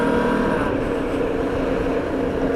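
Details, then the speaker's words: Benelli motorcycle while riding: a steady engine drone with a faint, intermittent buzzing resonance up front; several fixes have failed, and the owner suspects the beak area; cause not confirmed. "can you hear can you hear that vibration doing my bloody heading anyway I've done loads of things to this to try and stop the vibration happening and um to no avail"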